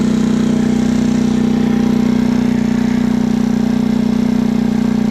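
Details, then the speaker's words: 2020 PMZ50 Honda Grom clone with 139QMB GY6 engine, theft-recovered, on fresh ethanol-free fuel: fast, very even buzzing idle holding well above normal tickover without hunting; idle set far too high for unknown reason. "Idle way up. Engine rolls up. Hey, sounds good."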